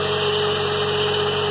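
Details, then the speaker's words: 2003 GMC Envoy 4.2 V6 after replacing bad coil pack and all spark plugs: steady even idle, smooth hum, no stumble; misfire gone, good power. Normal idle. "sounds good no more miss we got good power"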